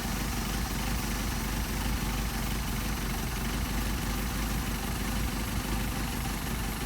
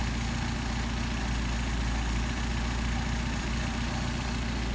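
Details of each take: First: Mercedes 190SL with Solex carbs, idle mixture screw being turned in: even low idle with a thin flat note, rpm dropping and faltering; idle mixture too lean. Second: Mercedes 190SL with rebuilt Solex carbs, warm after a hot start: a smooth, even idle at about 750 rpm, matching factory spec, with a steady exhaust beat and no misses or hunting; the carbs are well balanced.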